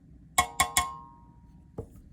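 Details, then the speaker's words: Guitar combo amp reverb pan tapped three times rings with a long, bell-like metallic tone; undamped pan resonates from cabinet vibration; foam tape across the top helps quell it. "since this is living inside of a combo cab and exposed to some pretty harsh vibrations um you could probably hear that that resonance"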